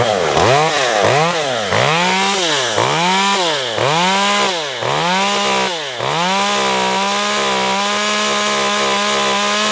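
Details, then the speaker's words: Stihl MS194T chainsaw after a fuel/no-start repair, warmed up and cutting wood under load: revs and bogs briefly, then holds a steady high scream in the cut and pulls cleanly: normal running under load. "Not too bad."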